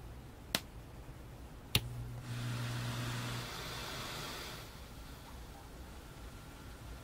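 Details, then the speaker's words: Early-version McIntosh C28 preamp with amplifier already on: two switch clicks, then loud hiss with brief hum for about two seconds before stabilizing; turn-on noise surge, fixed by upgrading circuit to later version. "i'm going to turn on the c28 and you'll hear an inrush of noise"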